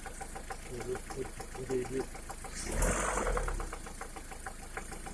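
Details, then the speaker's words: 2011 Lada Priora engine after piston kit replaced with gapless rings, at idle warmed to 60 °C and above: light ticking knock about three per second, top-end tap; origin unclear, hydraulic lifter (compensator) mentioned. "После замены поршневой на бесстыковую при прогреве до 60, от 60 градусов и выше начинается стук мотора. Непонятно откуда исходящий."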